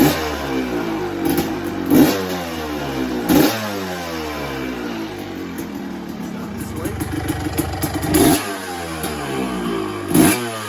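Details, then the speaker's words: 1986 Yamaha YZ250S two-stroke, started in few kicks: crisp ringing fire-up, several blips, back to a steady even idle; healthy running bike, only a service expected to be needed. "Sounds absolutely bang on, absolutely gorgeous."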